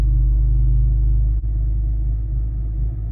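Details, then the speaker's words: BMW M3 just back from a shop that was meant to fix misfires, service engine light on: fine briefly after startup, then a low idle rumble with an uneven beat and sharp stumble; still misfiring at idle and low RPM. "Like, you first start up and it was like kind of fine for a second, and then you can hear it start to misfire at idle. Idle and low RPM."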